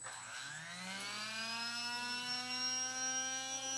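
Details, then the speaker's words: RC brushless motor after bearing replacement, first test run cold (not yet warmed up): smooth whine climbing to a steady 33,000 rpm, a lot quieter, no grinding or noise. "a lot quieter guys a lot quieter still needs to get warmed up heated up for everything to sit in there but for the first test not so bad"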